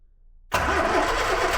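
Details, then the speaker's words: Fire-damaged 1969 Ford Escort MK1 van, crossflow engine, carb primed, choke worked by hand, not in gear: steady cranking, no firing beats or pickup. Fuel pump not delivering, so crank no start. "Why isn't that fuel pump working? Let's get you off of here. With no fuel coming up. None whatsoever. That fuel pump is not working."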